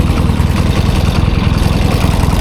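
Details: 1972 Triumph 650 Bonneville twin, parked since about 1984, after two new spark plugs and with the choke now off: a steady, even twin-cylinder thump at warm idle with no misses or knocks, running much better; normal idle.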